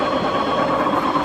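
Steady mechanical rattle with a ratchety, uneven clicking over a low rumble while the shaft turns, consistent with worn bearings.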